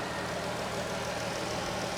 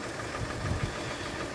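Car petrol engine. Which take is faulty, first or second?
second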